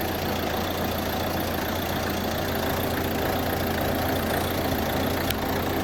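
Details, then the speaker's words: 2016 Ford Transit Custom 2.2 TDCi diesel van after high-pressure fuel pump replacement: steady, even idle with a light clatter, no misses or hunting; running properly, normal idle after the repair. "[Music] see that struck up really well it's running"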